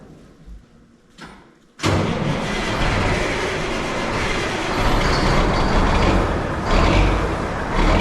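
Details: 1984 Mack RD688S, EM6-350 diesel after #6 piston and cylinder liner replacement, with the injector lines retightened: catches after a brief crank and settles into a steady, even clatter with no knocks or misses. Normal running.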